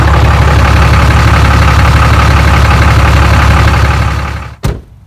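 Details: Cummins 6.7L diesel after air and fuel filter change, fuel filter primed by cycling key: steady, even clatter at settled idle with no misfire or stumble, then shuts off; sounds healthy.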